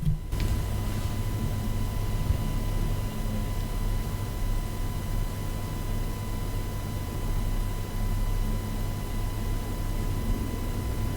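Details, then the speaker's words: Superlux E205U USB microphone plugged into USB, recording silence before modification: steady hiss with a thin constant whistle near one kilohertz and low hum, high self-noise and clatter from USB power ripple. "Okay. Apart from high self-noise there will be such a clatter and we will try remove it."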